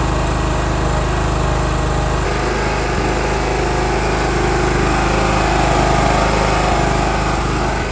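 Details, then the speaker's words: John Deere 170 riding mower with a weak starter, engine previously overhauled: a loud, steady, fast single-cylinder drone holding an even speed with no misses; runs cleanly. "Alright, as you guys can see and hear, she's running. Again, this lawnmower has a weak starter."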